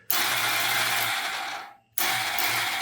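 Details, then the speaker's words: 2000 Honda Rancher ATV, sat outside, first crank on temporary battery hookup: high fast whirring in two bursts with the engine not turning; starter spins free, failed starter one-way clutch/gear. "Uh-oh. Well, starter's turning over, but the engine's not."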